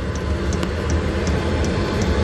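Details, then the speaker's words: 8 kW 12V diesel air heater installed in a Bayliner Ciera 2455 boat cabin: light, even ticks about two to three per second from the piston dosing pump over a low fan rumble; normal operation. "okay so you can hear that running a little ticking sound is the pump it's got a little piston inside that goes up and down"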